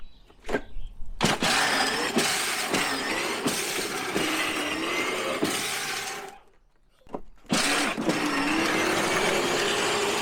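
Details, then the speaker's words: Power Wheels ride-on toy test run after repair with a different, taller shifter fitted: steady electric motor whine with light gear chatter, a brief stop, then runs again; about to try reverse, drive appears fixed. "And yet to try backwards. I think we fixed it. Me too."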